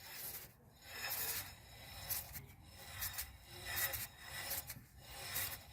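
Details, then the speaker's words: Renault brake disc turned by hand with caliper removed, no engine: slow rhythmic scraping rasp each turn as pads stuck tight in the carrier keep rubbing; brake pad dragging on disc, caliper and handbrake cables being replaced. "słyszycie kręcę tą tarczą hamulcową a cały czas mi coś ociera mimo iż jest za ci zdjęty"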